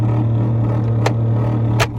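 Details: 2007 Mitsubishi Lancer heater/AC blower fan switched on: a loud, steady low drone throughout; the fan motor is noisy.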